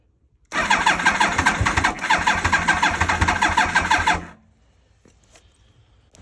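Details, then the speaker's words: 2000 Yamaha R1 (5JJ), bought as a project, on a borrowed battery with the choke on: the starter churns steadily at about three turns a second for nearly four seconds and never catches; cranks, won't start. Owner suspects dirty carburetors. "these carbs need to be clean because she ain't starting. She started up before though, so. Oh, maybe not."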